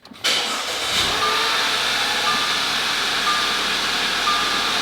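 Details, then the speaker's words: Audi A5 restarted hoping to cure a misfire on all cylinders, with new coil packs not yet installed: it fires quickly and holds a steady idle without sagging as a dash chime pings; RPMs stay up, running better, check engine light still on. "maybe the RPMs are staying up so it is running better so that's a bonus"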